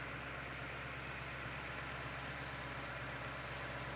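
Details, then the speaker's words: Rebuilt Cuda V8 warming up after its first fire-up, 80 lb oil pressure, temperature starting to rise: smooth steady low rumble at an even idle with no ticks, knocks or stumbles; a healthy idle. "Temperature starting to go up. Sounds really nice."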